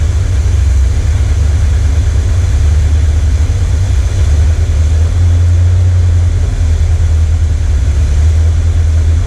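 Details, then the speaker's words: 1979 Corvette L82 V8 idling in neutral, hood down: deep, loud idle with an uneven, lumpy pulse and slow swells. Smoke test found no vacuum leak; owner suspects the carburettor idle circuit isn't working and the transfer circuit is compensating. "It's not like it's something with the engine, it's no vacuum leak. I think the choppiness to it is it trying to do the idle circuit, and like, because it, in this stage, it's running off of whatever the transfer circuit is in the idle circuit."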